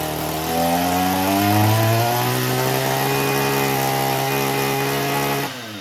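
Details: Echo weed eater that kept stalling, after turning the carburetor high-speed screw slightly counterclockwise: the two-stroke revs to a clean steady high buzz without bogging or stalling, running properly.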